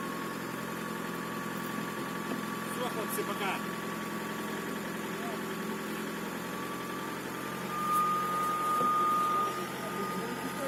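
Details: VW Passat B5 with AVB diesel engine at steady idle: thin high-pitched turbocharger whistle holding constant pitch, caused by a broken-off piece of the turbo compressor wheel.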